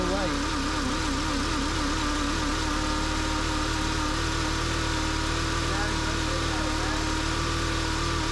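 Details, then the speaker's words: VW Jetta, P0491 secondary air insufficient flow bank 1, cold start under the car by the air pump: plain steady idle hum without the expected hair-dryer air rush; secondary air pump not running at cold start. "when we start the car we should hear the air pump it should sound kind of like a hair dryer going and we don't hear that air pump in this vehicle"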